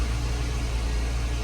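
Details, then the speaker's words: 2010-16 Porsche Panamera (970, 3.6/4.8) just started after high-pressure fuel pump replacement, low-side pressure about 90 psi, cold and idling up to warm: steady, even fast idle, smooth low drone, no misses or ticking; normal. "So, let's go ahead and try to crank it and see what it does. It's idling up right now until it warms up."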